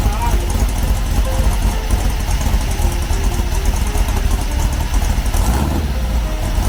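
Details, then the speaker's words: 1970 Trophy Car dune buggy, new 1776cc engine on break-in, running hotter than normal, 130 degrees at the case, 140 degrees under the jugs: deep, lumpy, even Harley-like idle with no knocks or misses; normal. "Sounds badass. Sounds like a Harley. Even through the break-in process, when on break-in everything's new, so an engine runs hotter than it normally would."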